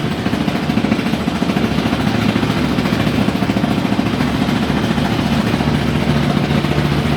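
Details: Haier i-Pro Series 7 HW100-B14979S 10kg washing machine, under 10 months old, on a 1400 rpm spin with a light load: loud, continuous rumbling clatter pulsing about three times a second from deep inside toward the back; previously very quiet, owner suspects premature bearing failure.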